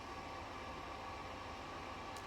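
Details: New Airflow Icon 60 kitchen extractor fan after replacing the old noisy Manrose: steady, even rush of air with faint constant hum, no rattle or scrape; quiet with much more suction.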